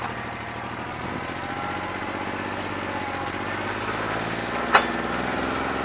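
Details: New Holland 1320 diesel tractor with a bad injector, running on about two and a half cylinders, no improvement when hot after three hours of loader work: low idle with an uneven, stumbling beat and occasional skipped pulses, a misfiring cylinder.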